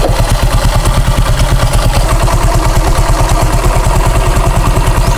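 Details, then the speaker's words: Honda Click 125 scooter at idle with the CVT cover off during full maintenance: even, steady thump about three beats a second, no grinding or rattle from the drive side; the CVT pulley sounds quiet and normal. "Tahimik naman yung ating pulley eh."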